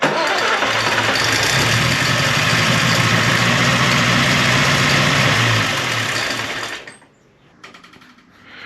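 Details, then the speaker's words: Austin 7 Ruby engine's first start during restoration, after cleaning the points and rotor arm and gapping the plugs, with no radiator fitted yet. It catches right away and runs evenly on all four cylinders before shutting off. "well so that started remarkably easily didn't it that was really good really good"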